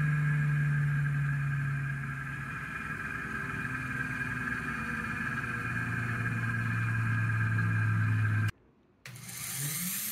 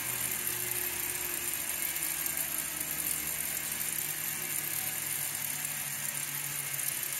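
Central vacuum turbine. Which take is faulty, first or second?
first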